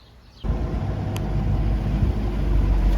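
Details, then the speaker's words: 1982 Sea Ray boat running after a new water pump was installed: engine catches and settles into a deep, steady rumble without stumbling or knocking. Temp gauge stays in the middle, so it runs healthy. "I got the boat out and running, and our temp gauge is staying right there, dab straight in the middle."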